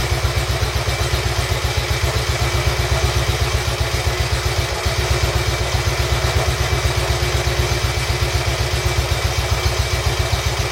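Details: Royal Enfield Bullet 350 Classic first start after partial seizure repair, cylinder hone, new rings, decoke, valve clearances set and carb cleaned; even clean thump about four beats a second, no knocks or rattles, healthy idle, carb needs fine tuning.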